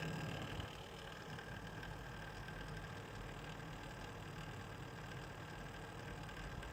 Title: Corsair H100i extreme rattling noise from pump.